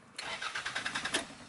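About a second of brisk, even cranking pulses, roughly a dozen per second, strong and steady without clicking or grinding: healthy starter.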